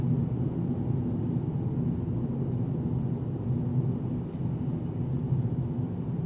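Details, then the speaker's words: 2024 Mercedes-AMG CLA35, turbo 2.0-liter four, 8-speed dual-clutch, in-cabin at highway speed: soft, steady low rumble with no notable wind or road noise; quiet, healthy cabin, though bumps cause a distinct crack. "нет. заметный шум ветра или дорожный шум, когда другие транспортные средства проезжают мимо вас"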